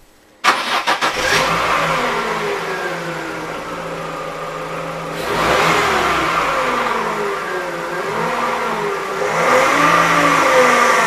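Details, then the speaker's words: Used Shanghai-built power steering pump on a 1.6 engine car: humming whine over running engine rising and falling in pitch, worn pump before replacement with new pump. "вот у меня насос бэушный из шанхайской сборки ao 1.6 значит вот так он загудел вот такой звук у него"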